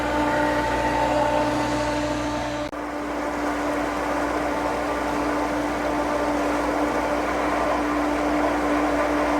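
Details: Pentair pool pump motor that only hummed and wouldn't start; impeller turned freely, and after fitting a new capacitor it runs with a steady, even hum, no labouring or buzzing; capacitor was the fault.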